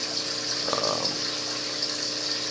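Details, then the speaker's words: New 220-gallon aquarium with sump, about an hour after start-up: constant hissy splashing and gurgling like a waterfall over pump hum, from return-line siphon-break holes; fix planned by cutting pipes about ½ inch to submerge them. "Sounds like a waterfall in here right now, but I'll just cut that pipe down maybe about a ½ inch on both sides and drop it down in the water a little bit."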